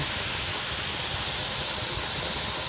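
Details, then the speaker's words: Pressure canner on an electric stove processing yellow squash: steady even hiss of steam rushing from the vent with no sputter or surging, vent lock up; normal steam venting before the regulator goes on. "Okay, I don't know if y'all can hear that or see that, but it's venting. I can feel it. It's not hot, but it's hot enough."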